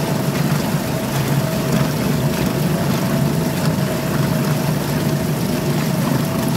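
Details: Suzuki DF2.5 2.5 HP outboard in water test after no-start repair, fuel valve and tank vent open: single-cylinder buzz at steady constant speed over water splash, no stumbling or surging; normal running.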